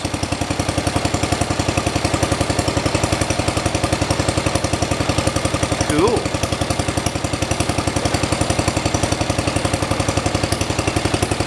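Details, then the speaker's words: 1973 112 tractor, Kohler K301 single-cylinder, after head gasket replacement and first-time valve adjustment (set at 8 and 17), previously lost compression: even, steady putt at idle, about 220 beats a minute, no misses or knocks; idling much better, normal idle. "like it's idling a lot better after I adjusted the valves. Let me go on ahead and put it outside and just let it run."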